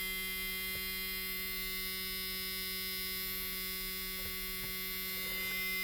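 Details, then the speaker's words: Mustang with Holley Sniper fuel injection on a dyno, engine off, key on: steady even electrical buzz, the expected key-on noise of the system; normal. "I know when this thing is not running, but the key is in the on position, we're gonna get that buzzing noise."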